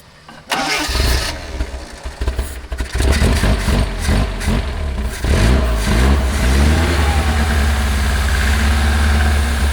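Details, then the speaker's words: 1979 Lotus Esprit: cranks, fires and stumbles several times before a rough idle; pulse fuel pump seen blinking, clear filter showing flow only intermittently: intermittent fuel delivery, little gas reaching engine. "it looks intermittent too it's got a pulse pump you can see it kind of blinking here"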